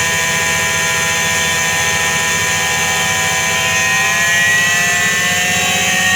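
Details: Washing machine drum during spin: steady droning hum with a layered whine that holds even throughout, the roar of a worn drum bearing.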